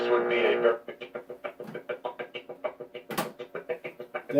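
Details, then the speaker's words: RCA 811K console radio, first power-up after restoration: output swells and dips in quick regular pulses instead of holding steady, loud then fading on strong stations; automatic volume control suspected, not confirmed. "I suspect it it has something to do with the automatic volume control because when I get on station really strong it will come on loud for a few second for a second and then fade and then it kind of does that little thing that pulsating deal"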